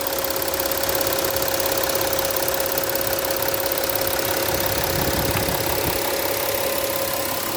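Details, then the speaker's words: 2015 Porsche Cayenne Diesel at idle: even hum with fast light ticking from the injectors and high-pressure fuel system, normal diesel clatter. "So, headlights, everything functioning in great shape up front. You can hear the injectors ticking."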